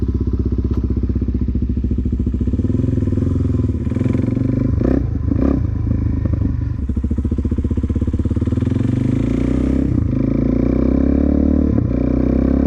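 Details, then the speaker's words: 2004 Suzuki DRZ400S single on a road test, stock 22.5 pilot jet, fuel screw four turns out, irregular crackles and pops at low-end throttle; runs better but still lean on the low end. "Yeah, it definitely feels better. It's still a little bit lean on the low end, hence the cracking popping."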